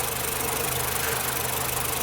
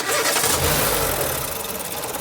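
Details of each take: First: Nissan Platina with power loss, shaking at stops and backfiring through the exhaust: a steady idle with an occasional uneven beat. Intermittent misfire, traced by spark testing to a faulty ignition coil. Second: Nissan Platina after the coils were reconnected: engine cranks, catches quickly and settles into an even idle with no misfire stumble; a slight shake remains, said to be typical of these engines or possibly worn mounts.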